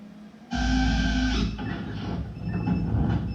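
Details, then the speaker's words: Drone losing power mid-flight: loud motor whine cuts out abruptly, leaving thin high beep tones from the ESC as it spins down and crashes; wouldn't power up again for minutes; cause unknown. "my esc powered off because you can see when i start spinning you'll hear it beeping"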